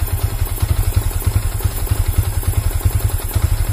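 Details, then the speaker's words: Yamaha Vixion New motorcycle that stalls, MIL lit after starting: uneven idle with lumpy pulses about once a second, beat wandering, near stalling; weak/failing battery is the stated cause. "terus juga motor langsamnya itu enggak enak stasionernya tuh tuh dulur-dulur dulur-dulur kayak gitu ya"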